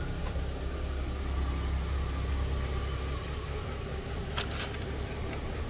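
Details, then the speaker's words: 2011 Kia Sportage 2.4 4x4, starts and stalls complaint: low idle with slightly uneven loping pulse and faint shake, started to tremble a little after smooth start; scanner shows code P0017; rough idle, cause not confirmed. "ya empezó por ahí como medio a temblar pero no mucho"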